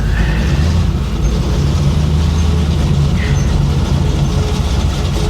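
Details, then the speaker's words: 1966 Chevy Impala V8 driving in first gear at low speed: deep rumble with loose buzzing rattle on the exhaust note; exhaust misaligned, vibrating the car, owner plans to adjust it. "I've got to adjust that exhaust. I'll try to I'll try to work on that tomorrow."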